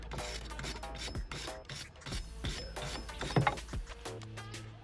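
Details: Worn rear wheel bearing on a 2005 Mini One R50/R53, being replaced: turning the hub by hand gives an uneven gritty rasp with notchy clicks instead of a smooth spin.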